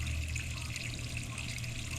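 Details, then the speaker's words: Drain under a toilet being replaced, tested by running water into the open drain: steady rush of water flowing away evenly without gurgling or backing up; the drain is clear. "It's going down properly."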